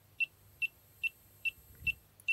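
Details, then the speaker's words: Classic ionisation refrigerant leak detector for CFCs/HFCs, buzzer covered with grey tape, switched on: sharp high beeps about every 0.4 s, slow and even, over faint hiss from the ionisation effect; normal idle beep, no gas detected. "So if I turn this on, it's notable I have covered the buzzer here with a bit of grey tape. If I turn it on, it starts beeping."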